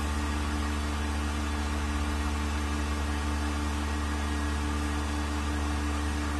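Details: Vacuum pump on a 1600-litre mixer during a vacuum test with an empty chamber, vacuum about 0.09; steady even low hum with constant tone, no knocks, surges or grinding, pump working stably with very low noise, meeting the vacuum requirement.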